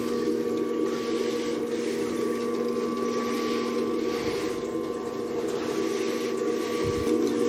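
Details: Bandsaw on a trolley with newly plumbed coolant pump and tray drain, first test run with coolant borrowed from a milling machine: steady even drive whine with soft cutting rasp, no knocking or chatter; pump and saw run smoothly.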